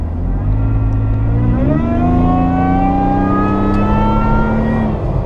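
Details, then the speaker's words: Toyota FJ Cruiser with supercharger, under acceleration: pulls hard, exhaust note plus a clean whine climbing steadily in pitch with revs; normal supercharger whine. "as you see this truck really goes with the supercharger sounds awesome as well you got the the wine of the supercharger you have the boiler exhaust"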